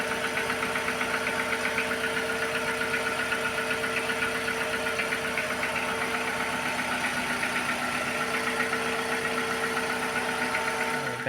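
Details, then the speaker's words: Petrol engine idling with an uneven, stumbling beat, trembling and jumping in the engine bay instead of running smoothly: a single-cylinder misfire (P0300) caused by a bad ignition coil, fixed by replacing the coil. "Instead of the smooth running that this engine normally has, it sort of wobbles in the engine bay and jumps around a bit. So, you can best see it here. The engine is trembling and working roughly."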